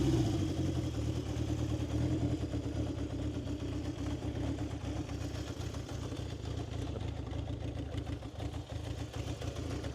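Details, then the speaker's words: 1970 Honda CB750 K0 four-cylinder, fully rebuilt engine with 2,000 km since, low on fuel: steady, slightly lumpy idle with deep, even exhaust beat, no knocks or ticks; sound called nice and rough; healthy normal idle. "I think this is uh pretty one of my uh favorite sounds. And you can hear it when you uh when you you stop, you can hear it uh in the exhaust uh"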